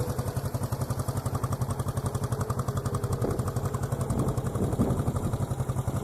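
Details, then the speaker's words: 1973 Honda CB350 G twin motorcycle with original mufflers and new petcock, restored to running after kickstart; even, quiet twin-cylinder idle with a regular low pulse near three beats a second and no rattles; normal running. "So I'm just gonna turn it on right now so you guys can hear it. It has an electric start and kickstart. So I'm gonna do a kickstart right now."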